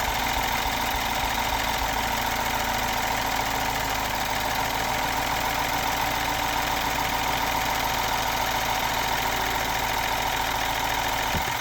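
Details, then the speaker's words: N18B16A turbo GDI engine, restarted after aerosol Seafoam sprayed down the intake and left to soak: uneven, stumbling idle with busy ticking top end as it struggles burning off cleaner and carbon deposits. "Like I said, you might hear it struggle for a second because I did just shove a lot of seafoam down the intake of this thing. So it's trying to burn out anything it possibly can, flow in any little port it possibly can."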